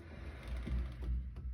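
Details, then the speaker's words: 2015 Volvo S60 T5 raised slightly, steering wheel turned slowly back and forth: dull clunks and knocks heard as if from the dashboard; the strut spring top bearing is seen jerking, a worn strut mount bearing. "all right you could feel it right in the spring top bearing on the strut is a little wonky you can actually see it jerking back and forth do it again yep that's our noise"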